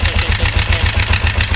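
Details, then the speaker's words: Kawasaki 454 motorcycle, start after reassembly: rough idle with a sharp regular tick about seven or eight per second over the exhaust beat; owner suspects the timing chain, unconfirmed. "Now, she's still running really rough because I think the timing chain is still the problem"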